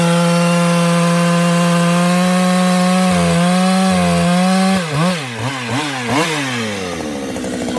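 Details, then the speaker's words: Ported 154 chainsaw with skip-tooth chain cutting oak; steady high buzz then repeated surging and sagging near the end, hunting unevenly; owner suspects it is about out of fuel. "it might be yeah she's about out of fuel that's why she's doing that"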